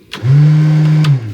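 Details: Boat with Mercruiser 3.0 after new starter install and rewiring, blower switched on: smooth, steady low hum spinning up evenly without rattles or wobble; bilge blower motor running normally.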